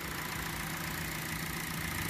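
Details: Hyundai idling after replacing the negative cable battery sensor for an intermittent flashing battery light, with battery and alternator already new; quiet, steady idle, charging reads about 14.2 V.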